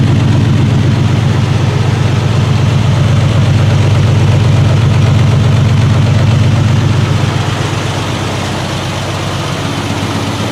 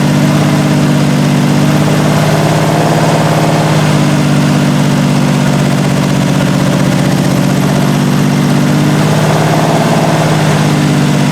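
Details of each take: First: 1968 Triumph TR250 restoration, running on jack stands after gear checks: deep, even idle with a steady low pulse about four beats a second; smooth, improved after adjustments. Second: 1968 Triumph TR250 first start after body on chassis, idle screws backed out two and a half turns: loud uneven surging lumpy idle; carb linkages loose and timing need adjustment.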